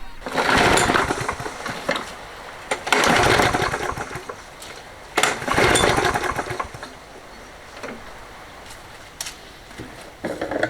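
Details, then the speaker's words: Toro 20789 mower with a Briggs Intek engine and a hot-restart problem, after a new fuel line, filter and spark plug (spark looked good): it catches in short bursts and dies each time. Suspected carburettor, found to be a blocked jet with water in the fuel. "Bon, c'est quand même étrange, ça fait exactement comme la première fois. La bougie a été remplacée pourtant. L'étincelle avait l'air belle. Donc sûrement le carburateur."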